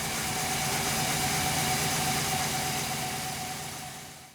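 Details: GMC Sierra 6.0L just jump-started from a dead 9.8 V battery with a booster pack: even, steady idle with a regular low pulse, no misses or knocking; idling normally.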